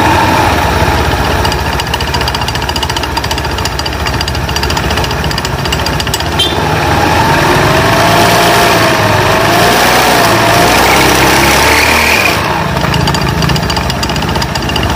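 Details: Honda Beat FI scooter after replacing a snapped CVT drive belt: busy, even engine clatter with a rattly, rapid beat and steady speed; the earlier harsh CVT noise is gone and it runs normally again.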